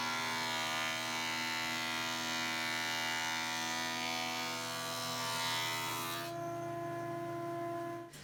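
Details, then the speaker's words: 20-inch planer, baseline cut before spiral cutterhead upgrade, knives beyond dull; loud high hissing cut over steady motor whine dropping off as board clears, harsh ragged cut. "And I also think it's worth noting that these blades are beyond dull at this point."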